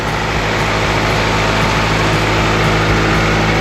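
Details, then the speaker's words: EF Honda Civic after fitting a shorter timing belt tensioner bolt and retensioning the belt: a loud, steady idle with an even beat around four pulses a second and no ticking or slapping; normal idle. "Running pretty good. Sounding pretty good."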